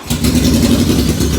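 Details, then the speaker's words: 1981 Yamaha XJ650 bobber, not started in a few days, on choke with a couple of pumps and fuel tap still off: fires almost instantly, smooth even idle without misses or knocks; starts right up every time, normal. "That's it. It starts right up every time."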